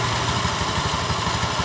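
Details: Honda Beat eSP scooter CVT, cover open: uneven rattly knocking at low revs when pulling away, which disappears once moving, chattering from the clutch bell; the clutch shoes (kampas ganda) are worn out.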